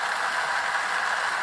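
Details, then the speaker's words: Powerful primed pump flushing a clogged well that feeds a heat pump: a harsh rattly hiss with a steady mid-pitched churn and no solid water load. It pumps out all the poured-in water and draws air. Pump sucking air, well run dry. "So we turn it on, the same thing again! That's disgusting! He pumped out all the water again!"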